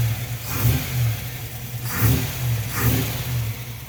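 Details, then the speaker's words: Jeep CJ-7 with an AMC 304 V8 and a mild cam, base timing at 10 degrees, manifold vacuum restored: three quick throttle blips, each climbing cleanly and dropping straight back to a steady idle. The engine revs freely and is healthy. "That cam likes to rev. All right, you're going to be a little jiggly there, but you'll get over it."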